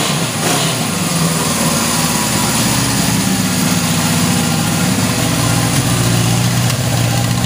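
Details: 1977 Honda CB750K four-cylinder motorcycle, started after sitting years with carburetors left six years holding gas, batteries charged: settles into a steady, even idle with smooth exhaust note, no knocks or misses; runs healthy.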